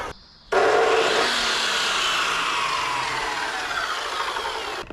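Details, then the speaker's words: 2,200 W drop saw run from an EcoFlow Delta 2 battery power station. The motor spins up to a steady high whine, sags slightly, then cuts out abruptly: an overload cutout, as the unit cannot supply this saw. "Alright, that's too much for it. It'll run a wood one, I think, but not this one."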